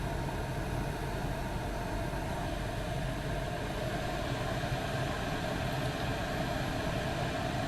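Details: Chinese diesel heater (eBay) in a van, tank at front of vehicle, on setting three, intake heard: steady even roar with a low rumble underneath, no surging or popping; running normally.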